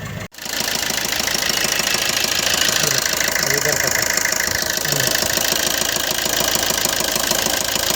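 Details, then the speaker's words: Maruti Suzuki Ertiga Smart Hybrid petrol engine at idle, morning smoke and unstable RPM: steady sharp ticking knock about three times a second from dirty fuel injectors. "Smart hybrid Ertiga, morning black smoke, RPM problem, engine knocking."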